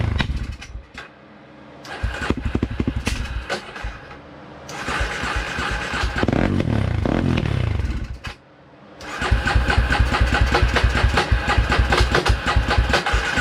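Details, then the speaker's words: 2003 Polaris Predator ATV at first fire-up after reassembly, previously flooded: uneven lumpy running surging and dipping about three beats a second, smoky and running super rich; float adjustment suspected, not confirmed. "We got smoky in here. This thing's super rich running."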